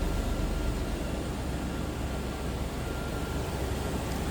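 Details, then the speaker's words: 2000 Toyota Land Cruiser 4.7 L V8 with K&N cold air intake, automatic with overdrive, heard under the open hood: steady, even low rumble with no knocks, misses or ticks; running smooth, normal idle. "K&N cold air intake. Running smooth, sounds good. Obviously, reliable engines."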